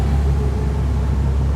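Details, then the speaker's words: Jeep, newly running: a steady, fairly loud low drone as the engine holds a raised idle on its own. The throttle sticks, and a vacuum leak is suspected but unconfirmed. "Oh shit. The throttle sticks. I think it's got a vacuum leak."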